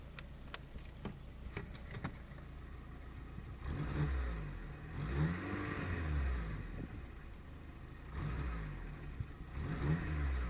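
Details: Škoda Fabia 1.4 MPI petrol with rough idle and two quick rev blips, stumbling, uneven note: misfire traced to a bad injector on cylinder 3.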